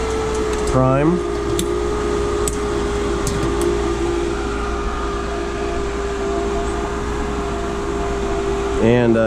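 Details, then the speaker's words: Pool pump restarted after cleaning the Hayward SwimClear 200 cartridge filter with the air relief valve open: steady, constant motor hum as it pulls itself into prime; sounds healthy. "This pump will catch prime by itself, so you don't have to worry about it."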